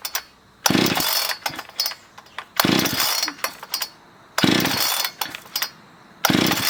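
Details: Husqvarna 460 chainsaw, damaged by cheap 2-cycle oil, rebuilt with a new piston, cylinder and air filter. Crisp throttle blips about every two seconds, each rev climbing cleanly and dropping back to idle without stumbling; it runs healthy.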